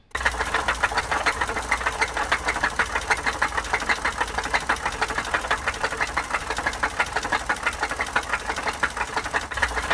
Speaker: In that first clip, I gave a sample of what bottom end knocking noise sounds like, aka rod knock.